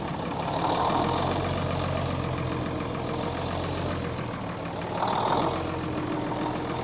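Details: Military truck diesel cranked on a chilly day after the fuel system was bled: heavy uneven churning at about 3–4 per second that never catches. Crank, no start.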